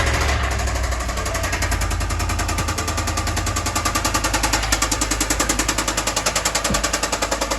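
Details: 2013 Ford F-150 6.2 L V8 running: heavy rapid knock about three or four blows a second, leading to general engine overhaul; engine knocking.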